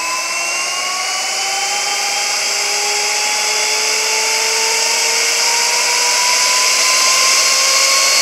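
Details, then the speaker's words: 45,000 RPM high-speed ID grinding spindle on a newly acquired grinding machine, air-cooled through a rear air filter; high, clean whine slowly climbs as it spins up, smooth with no rattle or grinding. Normal, in good shape. "it pulls air through the spindle to keep it cool and I guess to keep the chips out of the spindle itself sounds like a rocket ship taking off seems to be in good shape"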